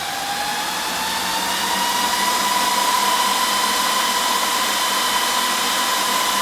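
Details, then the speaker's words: HP DL380 G7 server with two of six fans removed as worst case: loud, steady rushing whoosh with a rising high tone as the remaining four fans ramp to full speed; with all fans installed it stays quiet. "as you can hear it gets very loud when it wants to but you can if as long as you've got all thirds installed you are not going to have any issues in a home lab environment"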